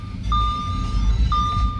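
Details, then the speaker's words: 2014 Audi A4 2.0 turbo, misfire with P0171 lean at idle: uneven, very shaky idle rocking the camera, steady chime overhead; cause found as PCV valve stuck open. "i don't know if you can hear it sounds really really shaky a lot as you can see the camera is moving a lot because the car is shaking"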